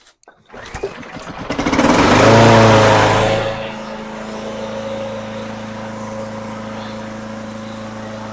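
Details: Lawn-Boy mower after a carburetor clean: small single-cylinder engine catches after a couple of pulls, flares, then settles into a steady even idle with no misfire; normal running.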